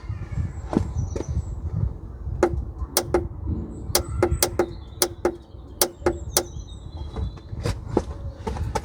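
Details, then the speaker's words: Car that stalled with no fuel reaching the engine from either tank; the original Lucas fuel pump was already replaced without fixing it. Sharp irregular clicking comes from the fuel tank changeover valve as the left/right selector is pressed, with the microphone near the spare tyre. "I've got a clicking a ticking you probably can't hear it but if I press between left and right foreign Arch yeah it is"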